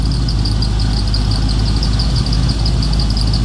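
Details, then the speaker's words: Freshly rebuilt square-body Chevy V8 (new cam, lifters, valve job, bearings, rings, gaskets) idling with an even deep rumble and slight cam lope, belt chirp from V and flat belts sharing one pulley; runs good, good oil pressure. "Runs good. Good oil pressure."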